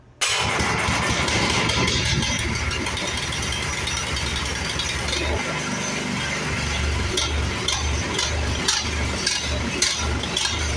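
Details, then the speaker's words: Toro 1028 OHXE PowerMax snow blower petrol engine idling and surging up and down in a hunting rhythm; governor spring found broken. "so you can hear the surge how it's going up and down up and down up and down um I believe it's going to be that governor spring"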